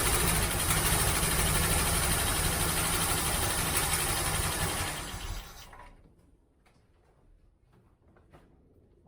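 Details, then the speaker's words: 1967 Mustang 390 V8 after ignition wiring repair: an uneven loping idle, stumbling about three times a second, as if one cylinder is not firing. Owner suspects a spark plug wire left disconnected after a spark test, not confirmed. "right I think I have a spark plug wire disconnected because it sounded like it was running on seven"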